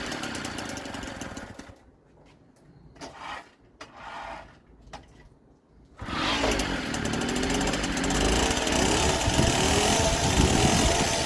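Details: 1964 NSU Quickly S23 three-speed moped, first start after engine rebuild on fresh 2-stroke petrol mix, some smoke expected; quiet fumbling, then the little two-stroke catches and settles into a brisk, steady buzzing run, about four beats per second.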